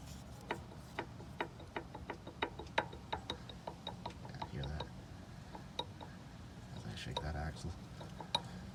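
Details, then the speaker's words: Dodge Ram 1500 front CV axle rocked by hand: sharp metallic clicks two or three a second; worn loose splines caught early, new axle planned, hoping front differential splines are undamaged. "yeah, let's see if we can just put a new axle in there, and hopefully the splines on the front diff aren't pretty messed up, and life will be great."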